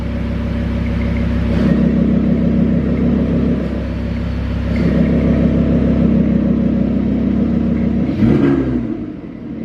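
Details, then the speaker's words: Rebuilt Audi R8 first start after oil and filter change, run to normal temperature: smooth rumble rising and falling evenly with throttle blips, no knocks or ticks; engine sounds perfect so far. "Other than that, this thing is perfect so far. I don't see anything that makes me uneasy about anything."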